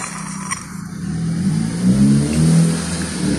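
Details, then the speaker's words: 2018 Chevrolet Beat/Spark 1.2 L: worn water pump with heavy shaft play, leaking antifreeze; as revs rise the bearing squeals loudly with a whining tone that climbs and strengthens, impeller heard inside; pump replaced to cure the squeal. "tiene bastante juego se mueve completamente entonces a la hora de que gira con las revoluciones Rosa y chilla y se escucha fuerte el sonido de la propela que va en la parte de adentro"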